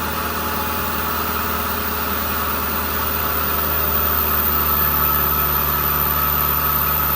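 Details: Kubota combine harvester diesel, under 1000 hours, idling after turbo replacement for a failed turbo (heat suspected main cause); steady even idle, deep constant drone, no knocks, whistles or surging; running normally.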